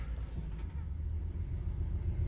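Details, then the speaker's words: 2013 Honda Odyssey 3.5, cold at idle: low, slightly uneven rumble with an occasional stumble, check engine light blinking for misfire, milder than on arrival; shop claimed low compression. "all right yeah I can feel it misfired it's not as bad as it was when I pulled it in"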